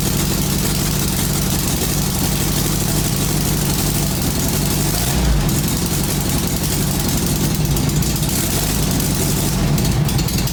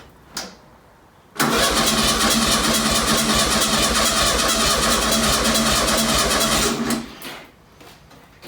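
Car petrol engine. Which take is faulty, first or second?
first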